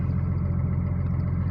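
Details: Cummins diesel after full teardown and reassembly to fix a small-end bushing knock. A deep, even idle rumble with no knocking from the bottom end: normal idle after repair.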